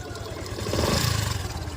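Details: Yamaha FZ-S motorcycle engine: busy, rough mechanical clatter over a mid-pitched run that swells slightly; customer-reported engine noise and poor pickup, cause not yet pinned down, full service planned.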